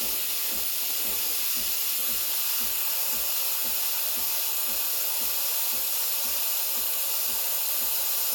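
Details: Breville Barista Express BES870, near new (used 20–30 times), steam wand turned on: strong, steady hiss with no sputtering or pulsing at full steam; normal steam wand operation.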